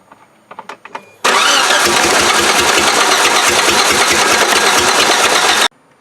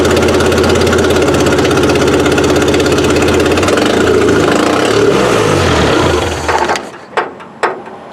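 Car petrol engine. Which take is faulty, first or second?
first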